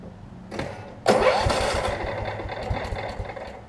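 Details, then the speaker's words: 30-year-old Cub Cadet 1320 hydrostatic riding mower that runs, drives and cuts: brief cranking, then catches cleanly and settles into a steady, even run; healthy start. "so let me crank it up i'll run the blades for you and i'll show you that everything works on it"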